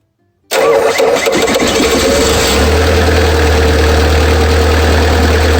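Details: Bobcat skid steer with Kubota V2203 diesel, after fuel lift pump replacement and fuel system bleed (fixing crank-no-start after sitting 10+ minutes): cranks briefly, catches quickly, settles into a steady, even idle; normal start and idle.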